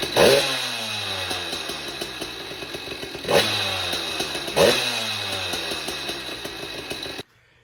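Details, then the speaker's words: Motorized bike small two-stroke on its stock ignition system, before fitting a California Motorbike catnip performance ignition: crisp buzz revs up and falls back several times, clean pickup, no misfires, then shuts off; runs flawlessly. "that video that you just saw was of the stock ignition system, and it runs flawlessly."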